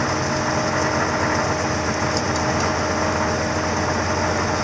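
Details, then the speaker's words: "Ol Green", cold start at 25 degrees in snow, warming up: even, steady idle with a smooth low rumble and no ticks, knocks or hunting; normal cold idle. "there you go fire it up going to run for a while gotta let it warm up for a little bit"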